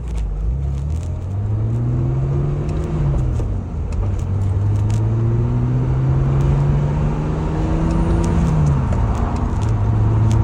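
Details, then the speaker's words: 1987 BMW E28 535is on a test drive at about 2,000–3,000 rpm, pulling through first to fourth gear after the suspected defective spark plug loom was replaced; the engine note climbs steadily with clean shifts and no stumble or flutter, so the misfire is gone. "This is the longest test drive I've done since the misfire and around 2,000 to 3,000 RPMs. It's not fluttering."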